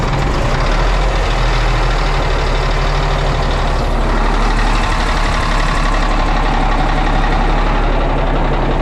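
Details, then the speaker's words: Old Cat diesel machine ('Niner') on a very cold morning, no pan heater, being sprayed with starting fluid while cranking: heavy, loud, steady churning with a deep low rumble, straining to catch; hard cold start. "wow I have to spray and crank here you know"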